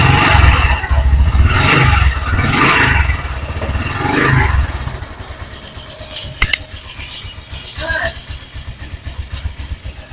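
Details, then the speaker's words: Honda Supra X 125 PGM-FI idling after a rough start, with a quick metallic ngecrek chatter around four clicks a second; a slack, worn cam chain (rantai keteng) rattling, to be fixed by replacing the cam chain. "Jadi untuk suara seperti ini ya dipastikan ini suara rantai keteng yang berbunyi ngecrek Ya ini suara rantai keteng ya"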